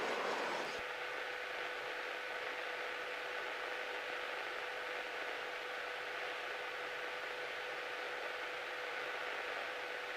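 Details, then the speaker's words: Cessna 172P taxiing: steady thin squeak at constant pitch over cabin hum, present even off the brakes; brakes suspected but cause unconfirmed. "you can hear the squeaking even when you're not really applying brakes yeah that's true"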